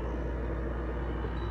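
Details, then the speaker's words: LG window air conditioner at start-up, compressor kicking in: steady low hum with no knocking, rattling or clatter, air coming out really cold; normal compressor running. "you hear that the refrigerant is kicking in because you hear it you hear that noise it makes that's compressor page in like"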